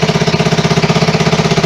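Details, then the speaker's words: 1974 Honda XR75 restarted indoors at its first start after a two-year restoration, on non-ethanol high-test gas: crisp, even single-cylinder idle at about thirteen beats a second, steady and healthy. Slightly smoky; the clutch still needs adjustment. "But it's a little smoky in here, but not too bad. Look at that. It is a runner."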